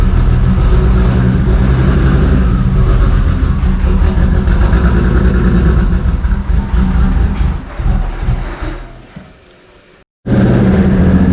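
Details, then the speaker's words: Toyota 2JZ inline-six in a rough, uneven idle lumping about three or four pulses a second, fading and nearly stalling despite held throttle, rich black exhaust; several cylinders dead from failed ignition coils; intake manifold also found warped. "Yeah, no, so you're having to keep the gas in it just to get it to barely idle."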